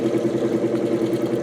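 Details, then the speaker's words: 1949 GE Vortalex 12-inch desk fan before repair, motor worn, on third speed: steady hum carrying a fast, even throb about seven times a second as the blade runs badly out of balance; owner suspects a bent shaft. "Looks like it might even have a bent shaft. That's not good."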